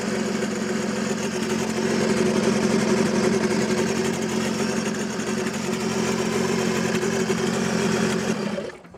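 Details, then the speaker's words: Audi A6 C5 2.5 TDI V6 (AKE), long stored, not starting after two injection pump replacements: loud, harsh running with a rapid uneven clatter and open exhaust roar, then it dies. Catalyst completely clogged; injection timing also off after the pump pulley was removed. "but friends, the matter was that the catalyst was completely clogged or the exhaust gas muffler was nowhere from below it was gone."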